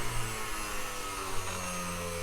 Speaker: so that's at the minimum setting and there's no bouncing it's just pure grinding quiet